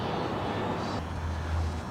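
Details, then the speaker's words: 2001 Jeep Grand Cherokee door lock actuator (built into the door latch): a steady low electric buzz drones for about a second each time the lock cycles. Annoying noise when locking or unlocking; the lock actuator needs replacing. "if every time you lock or unlock your car you hear this annoying sound like this then you probably need a lock actuator"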